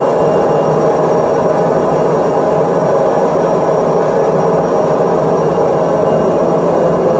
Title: Front load washing machine noise problem #washingmachine #viral #multiairsolutions